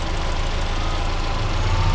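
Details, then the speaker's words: Mazda Miata at idle after an alternator change, with a vacuum cap fallen off: low, heavy, uneven lumpy idle; vacuum leak, idle returned to normal once the port was capped. "because actually when you close up that vacuum the car idled hella better like it it was like 20 times better"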